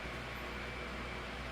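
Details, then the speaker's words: 2007 Holmes 12-inch desk fan HDF-1209, cleaned and serviced: smooth, even airy rush with faint low hum, no ticking or wobble; 16-inch motor on a 12-inch blade; normal operation. "it's almost similar and that's a it's the same thing with the high speed really sounds like a blizzard fan here yeah not really bad"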